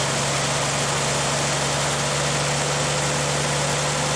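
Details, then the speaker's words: 1959 GMC old straight-six truck after fixing the fuel pump, which is now pumping: it starts and settles into a smooth, even low idle, down to about 300 rpm, steady hum, no misses or knocks; normal idle. "Oh, that sounds so much better The fuel pump is now pumping"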